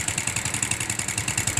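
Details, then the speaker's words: Yamaha Vega ZR motorcycle idling: fast sharp metallic ticking from the top end, about eleven clicks a second; loose camshaft journal seat in the head, attributed to dry engine oil. "Jadi suara kasar pada motor PKZR ini terdengar cukup ngelitik dan suaranya cukup beraneka ragam."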